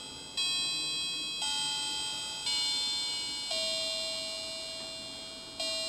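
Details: Vintage clock restored with new battery chime unit mounted on velcro at the case edge, plays on the hour: five clean bell notes about a second apart, ringing evenly; chime plays correctly.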